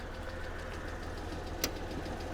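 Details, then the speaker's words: Copart Mercedes with misfire codes for cylinders 3, 4 and 5, idling with the hood open: a quiet idle with a faint quick tick and a slightly uneven beat. The owner suspects one exhaust side; the injectors show no leaks. "okay doesn't sound bad a little bitty tick"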